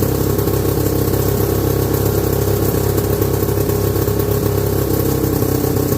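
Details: 1969/70 Sears snowmobile, single-cylinder Kohler two-stroke, sat outside a year, first run after revival, no load: buzzy slightly uneven ragged idle; owner says it's sucking air, running lean.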